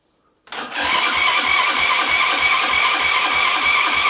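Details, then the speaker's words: Buggy with freshly installed engine cranking: starter turns steadily about three beats a second with no firing; carburetor is completely empty and only draws fuel under vacuum; idle may also be set too low. "ja muss ja auch erstmal Benzin haben ne ich meine der Vergaser ist komplett leer und der kriegt ja auch nur Sprit wenn er Unterdruck zieht"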